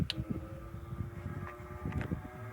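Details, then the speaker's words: Restored Diehl Junior fan B12AJ16 after repair (cleaned, gearbox repacked with grease, parts greased/oiled, new speed switch, line cord and head wires replaced) running on high at 117 V drawing about 0.76–0.78 A; quiet, steady motor hum with an even whir, running smoothly. "can hear how well that fan is running high 17 votes just drawing 0.76 amps"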